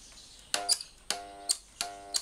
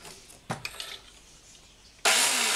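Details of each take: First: Black & Decker lawn mower powered through a series test lamp bank of three bulbs (about 600 W): three brief buzzing hums, each bracketed by switch clicks, with no spin-up; the motor is locked and stuck, drawing high current. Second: Black & Decker brushed-motor grass trimmer after repair of broken bearing that had locked the motor, spinning up sharply to a loud even high whir without grinding or catching; runs healthy.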